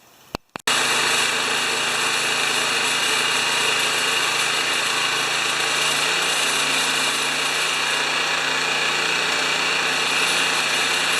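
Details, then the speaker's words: Honda HRA214 mower after a lean-running spark plug and carburetor rejetting of the main jet; starts quickly and settles into a steady, even buzz with no surging or hunting, running better. "Okay, it's running better."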